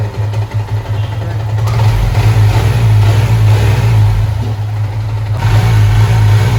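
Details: Yamaha R15 V3 after valve clearance adjustment; excess valve play had caused a knocking, vibration-type noise. Deep, even exhaust note rises smoothly with throttle, with no ticking or clatter from the top end; the engine sounds healthy.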